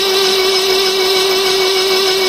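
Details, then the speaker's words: 1976 BMW 2002 after automatic transmission install: starter spun with steady, fairly high whine and no catch to circulate fluid through the newly fitted gearbox and check for leaks; fluid heard making its way in. "Going to take a while to fill up all the diodes, I guess. I'm not sure what happened in there. There might be some electric stuff in there. Has to happen, too. Yeah, you can hear some fluid making its way in there."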